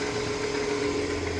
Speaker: well the truck seems to be running properly I don't see any leaks